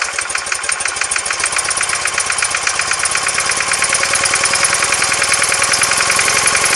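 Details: R100S, about 500 km since rebuild, cold: light, fast metallic tick of two to three per second over the twin's idle, left side, gone when warm. Heads retorqued, rockers and side-play adjusted; piston pins and rod bushes fine. Cause undetermined.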